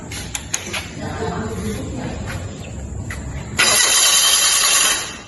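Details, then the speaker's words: Fuel-injected engine on a training engine stand, cranked with several sensors unplugged (MAP, IAT, CMP): starter turns engine over for a few seconds but it never fires, check-engine light stays on; crank no start. "Nah, di sini mesinnya tidak menghidup dan TND juga dalam masih hidupnya masih menyala."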